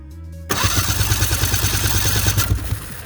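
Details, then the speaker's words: 2004 Ski-Doo GSX 600 HO after a big backfire on startup: fast, even starter chugging at about three per second, never firing; only a tiny spark at the test, plugs wet and dirty, fouled spark plugs suspected; no start. "a tiny bit of spark there should be so much more than that makes me think maybe we got some foul plugs fit in there"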